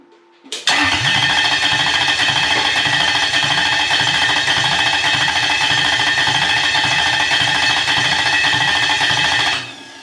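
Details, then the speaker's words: Toyota 1UZ-FE non-VVTi V8 with immobilizer-equipped ECU in a swap: catches right away and runs steady for about nine seconds, then cuts dead at once; engine stalls after starting, suspected immobilizer cut, not confirmed by scan tool. "then it doesn't so it gives you enough hope that you think you're going to make it go and then all your dreams are broken because of that immobilizer"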